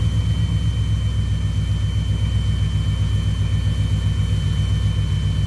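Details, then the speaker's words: 1990 or 1991 Chevy C1500 carbureted V8 at raised idle, vacuum gauge on manifold vacuum with a suspect line taped off; deep, even burble with regular firing, no stumble, perfect vacuum reading and running decent, normal idle. "See right there, we're at perfect vacuum, right there. exactly where you want it. And it seems like it's running decent too."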